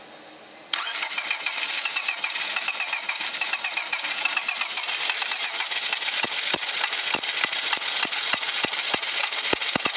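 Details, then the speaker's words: 1999 Honda Civic D16Y7, jumped from a truck, no gas given, tach not moving: starter spins steadily with rhythmic whirring rattle, never catches; crank no start, same with both distributors, new cap, ICM, wires, plugs, timing and grounds good. "Alright, I'm gonna try and crank it, and you'll see the tach will not move. And it sounds like it almost wants to start."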